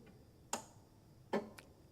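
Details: 1975 MGB that ran 30–45 minutes the night before without issue: a single sharp click with each key turn and no cranking; faulty starter relay clicks but does not engage the starter.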